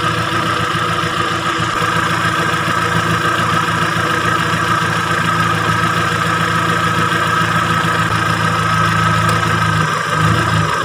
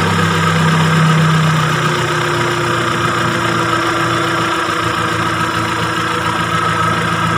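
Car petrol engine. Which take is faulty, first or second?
first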